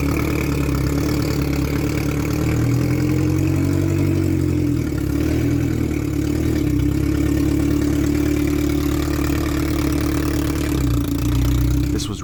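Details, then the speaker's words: Salvage Ferrari 360 Spider test-fired after the transmission was remounted: steady even idle, smooth low drone with no knocks, misses or rattles; normal start and idle. "exciting everything worked like it should have been"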